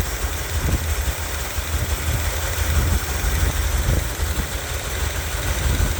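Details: 1978 Corvette V8 idling with windowed open valve covers for cam diagnosis: an uneven, loping low rumble with missing beats. Worn camshaft lobes; a removed hydraulic lifter shows a ground-in face.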